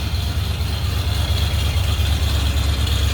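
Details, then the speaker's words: One-owner 1977 Ford F250, 351M V8, C6, about 29,700 original miles, freshly serviced out of storage, cold at about 40°F in North Idaho: steady deep burble at raised cold fast idle, even firing, no knocks or misses, healthy. "I said, she is cold."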